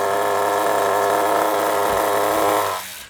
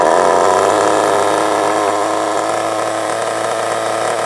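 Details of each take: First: Kyosho MP9 nitro RC buggy after tick-over screw adjustment: a high, buzzy, even tick-over without wavering that does not move when braking, then cuts out. Idle is solid and well set. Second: Kyosho MP9 nitro RC buggy after 2 years stored: a high buzzy run, then pitch sags and wavers before cutting out abruptly when braking. Idle is set too low and it stalls; the tick-over screw had likely vibrated out and is being turned in.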